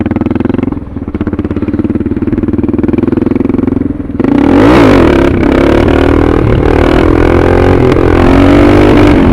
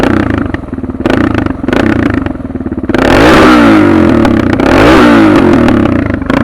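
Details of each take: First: Suzuki DR650 with a Procycle jet kit (150 main jet), DGV2 slip-on, stock header and unmodified airbox, doing clutch-up pulls. The single pulls, then sags and stumbles before climbing again: a throttle hesitation or cut-out. It is milder than at first install, when the owner thinks the needle was wrong. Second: Suzuki DR650 with Procycle jet kit, 150 main jet, DGV2 slip-on, mixture screw just over one turn out, about 40 degrees, just started: single idles then two clean revs with no stumbles or blips. Carburetion spot on.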